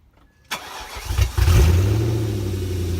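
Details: BMW E39 540i V8 after water pump replacement, fan clutch and blades removed, before bleeding coolant: brief crank, then catches and settles into a steady low idle without knocks, squeals or misses; normal start and idle.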